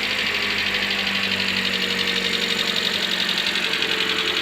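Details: Hyundai ix35 G4NA engine, about 140k km, first start after overhaul for piston scuffing knock (bored, oil jets fitted): starts first try, steady smooth idle, no knocking, oil pressure good.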